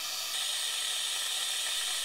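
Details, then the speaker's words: 2013 Mitsubishi Fuso FG; 3D-printed jet siphon drawing excess oil from the cylinders, injectors out; loud steady airy hiss with constant suction, no sputtering; working as it should. "So, it's definitely creating suction here, which should work. Let's see what happens if we stick it in. Kind [Music] of sounds like suction in a dentist's office."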